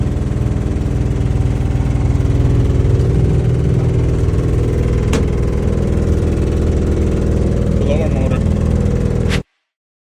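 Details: Lennox furnace running in both heat and cool modes: heavy, steady low rumble with droning hum constant until shutoff; abnormally loud running noise, source not identified.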